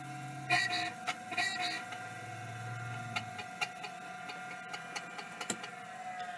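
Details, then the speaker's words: Hard drive, 12 V fed to the spindle connector, first power-up: steady high whine with scattered ticks and uneven rasp; rough spindle bearing. "yellow being 12vt positive going straight to the spindle connector seems correct so uh let's see if it does anything pretty rough spindle"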